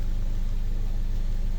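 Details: 2015 Mercedes-Benz CLA250 after crank-no-start with low fuel pressure codes P008700/P1CCF00: idling while CAN high/low signals are scoped; smooth even low hum, fast steady pulse, no knocks, misses or hunting; normal idle.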